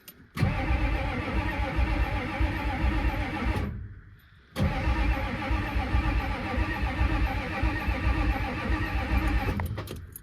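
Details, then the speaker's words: Ford F-350 diesel that sat 19 years, cranked; two long, steady, even cranking runs with no catch or firing. Cranks but no start; checking for fuel flow, and a lift pump may be needed. "Okay. Now, the real thing here is we need to see if we get fuel. Because if fuel doesn't start flowing from here, that means we need a lift pump"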